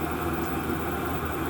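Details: Chinese diesel air heater run two winters on waste engine oil and other oils, after clean-out: steady even air rush over soft low hum, no pulsing, popping or misfire, burning smoothly; slight residual smoke.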